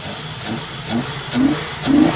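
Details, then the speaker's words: Holden VT Commodore V6, first start after sitting bone dry: three throttle blips each sag and falter, nearly stalling, while the muffler throbs; exhaust or muffler suspected blocked. "But it's running. Look at it. Hey. Oh, you rev it and it goes to die."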